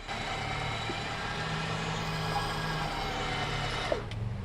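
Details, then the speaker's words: Nissan Xterra winch pulling the truck at idle after a Big 3 kit, 250 A high-output alternator and high-capacity battery upgrade: even strong motor drone that never sags, versus the old alternator where it sounded strained and lights dimmed; normal winch pull under load. "it's pulling the truck no problem I I can definitely feel and hear the difference"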